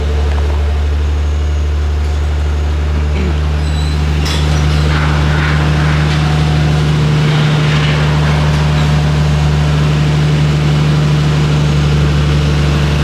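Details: Nissan Skyline R34 steady, even idle with smooth low drone and no stumble while warming up, after replacing the coil pack with an OEM unit to cure a misfire.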